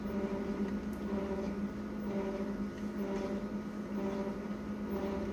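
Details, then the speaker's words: Konica Minolta copier about three months old, printing: a low-pitched squeak around 200 Hz comes and goes about once a second. Source not identified. "yeah folks can hear that low-pitched squeaking noise"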